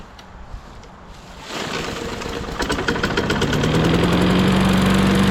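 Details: Lawn mower, 2021 by serial number, restarted after servicing with gas checked; quiet at first, then catches on first pull and settles into a steady, even run with no knocking while oil in the muffler burns off; healthy running.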